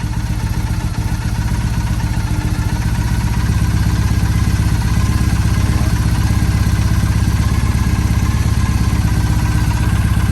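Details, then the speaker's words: 2007 Triumph Bonneville T100 twin during carb sync readjustment with the SynX tool, adjusted slightly too far: uneven, lumpy idle with a loping beat of about three pulses a second instead of a smooth patter; carbs out of sync. "…now you went like a little too far and we can hear it, so back it up a …little more."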